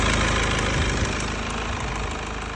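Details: Mercedes C220 W204 OM646 diesel at warm idle: steady clatter with a faint irregular tick-tick-tick appearing after warm-up; vacuum pump, both fuel pressure regulators, filters, pulleys and belt replaced; DPF removed, EGR disabled; cause unknown.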